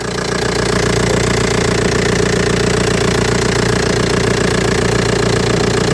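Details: Old Audi A4 diesel idling; steady even diesel clatter with a regular beat, no knocks or squeals; judged a normal dirty diesel; normal idle.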